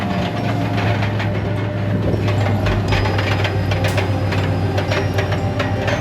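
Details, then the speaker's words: Truck idling with a loose, irregular chattering rattle of about four clicks a second from the exhaust: broken pieces of the catalytic converter's honeycomb loose inside the muffler. "You know what that sounds like? Broken parts of your catalytic converter inside of your muffler. That's exactly what that is."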